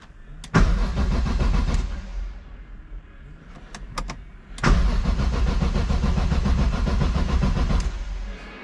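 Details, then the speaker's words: BMW M3 after gearbox refit with possible clutch disc or pilot alignment doubt, no fuel in tank: two bursts of steady cranking at about four turns per second, no grinding or clunks, engine spins cleanly without firing. Normal cranking, no nasty noises. "no nasty noises yeah happy with that"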